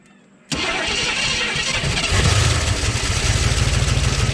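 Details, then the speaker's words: 1969 AMC Rebel, unrun an estimated 15+ years, started with no coolant: engine fires on the first try and settles straight into a steady, even idle with no knocks or misses; sounds healthy, normal start and idle. "Oh, she sounds healthy. Sounds just fine."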